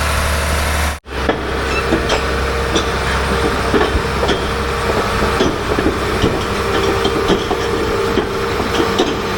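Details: John Deere 850J dozer diesel engine, re-rebuilt after a post-rebuild noise forced a second teardown, fluids topped off, run outside for a leak check: steady idle with light regular clatter, no knocks, grinding or leaks; normal.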